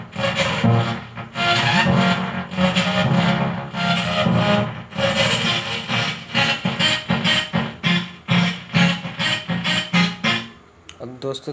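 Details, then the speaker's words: Transistor audio amplifier, one channel fine and the other distorting: music plays harsh and crackly with a gritty rasp on the faulty side, traced to an open output resistor. "तो customer ने बताया है कि इसकी एक side तो सही चल रही है और एक साइड आवाज़ फटी फटी आ रही है।"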